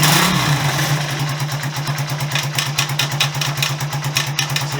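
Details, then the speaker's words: Honda CB125S single-cylinder just started and idling on the old exhaust stuffed with glass fibre insulation: thin metallic rattle from loose baffles, clunking when riding and louder as it gets hotter; exhaust baffle rattle. "Hear the baffles are loose, and when you're riding you can hear that clunking, and as it gets hotter it gets louder."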